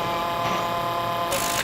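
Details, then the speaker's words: FlexArm tapping arm running the tap at about 400–500 rpm in gear 2: even motor hum while tapping, then it changes abruptly as the clutch releases at the bottom of the hole, working as designed. "Clutch is out at the bottom, completely eliminating any kind of tap breakage."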